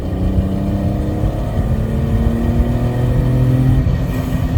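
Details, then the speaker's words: Supercharged BMW E46 330i with 247,000 miles on its first test drive after an engine rebuild. The earlier ticking, possibly a stuck lifter, is gone. A clean engine note climbs steadily under load and pulls hard to the top: normal high-rpm acceleration. "dude I I don't know it really picks up at the top dude it really does"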